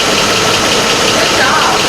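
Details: 2004 Chevy Avalanche 5.3 V8, rebuilt engine's first start: steady, even idle with a smooth hum and no misses, knocks or ticks; sounds healthy.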